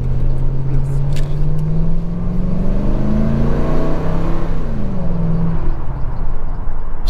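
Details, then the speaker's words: 300,000-mile Ford F150 V8 (4.6/5.4 coils) after misfire fixed by replacing all eight ignition coils: pulls up through the revs with a deep, even drone, no stumble; smooth, all cylinders firing. "I'm not even kidding you it is really amazing how well this thing is running now it is"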